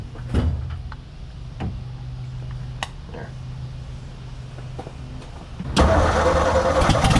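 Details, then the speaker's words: 1957 Ford F100 being revived, running for the first time after months of work: the starter grinds in uneven bursts before the engine catches and roars. Hard starting; the carburetor is suspected not working, with jets likely clogged and fuel struggling through. "it really wants it really wants to start my problem is like I don't think that carb is working which you know isn't that big of a surprise"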